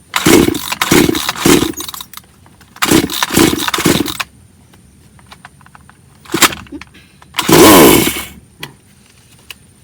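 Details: Bonto 5200 chainsaw that won't start: pull-cord bursts in quick groups of three, only a brief cough, never catching; stale, spoiled fuel is blamed for the no-start.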